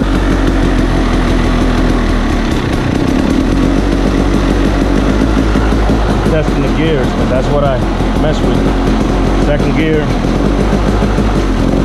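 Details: KTM 300 two-stroke, first start after transmission, shifting mechanism and top-end rebuild, kick-started: crisp popping settles into a steady, even idle with no misses or rattles; healthy normal idle.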